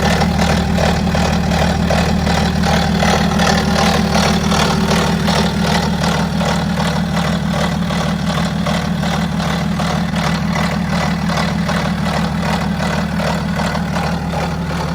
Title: BMW X5 F15 Diesel Timing Chain Noise Rattle - Stretched Chain – Does Yours Sound Like This?